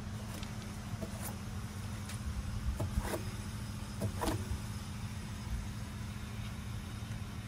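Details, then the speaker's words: T1N Sprinter van, front axle: soft low hum with faint brushing ticks as the wheel turns; a normal-sounding wheel bearing with only slight disc brake drag, unlike the other side's scraping bearing. "okay so we hear a little bit of disc Disc break H we hear a little bit of disc brake drag there"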